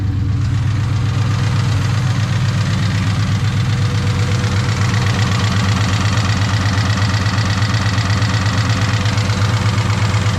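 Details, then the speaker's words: Ford Mustang Cobra V8 at idle after regapping spark plugs to 0.040 for a misfire: steady light ticking about four a second, seemingly from one cylinder head; not rod knock, source unknown. "definitely coming from this side just don't know exactly what it is [Music] the thing is it's definitely not like rod knock or anything it just sounds like it's coming from the head and i don't know what it is"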